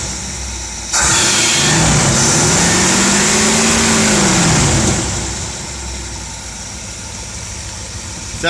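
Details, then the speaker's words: 1971 Dodge Pace Arrow 318 V8 after Pertronix Ignitor and coil install, not a fully cold start: catches and settles into a steady, even idle with no miss or stumble; healthy. "pretty good to me and we had it running just a little while ago so this isn't a completely cold start nor did I just fire it up and rev It On a completely cold engine"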